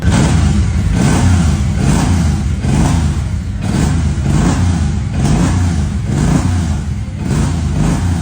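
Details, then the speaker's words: Suzuki M109R V-twin just after engine rebuild and first start: deep throbbing rumble swells and falls with each throttle blip, pulses strong and even, no abnormal noise; engine healthy after repair. "太棒了！很暴躁啊，这才是铃木他该有样子，真是太帅了。"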